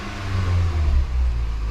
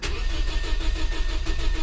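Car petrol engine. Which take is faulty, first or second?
second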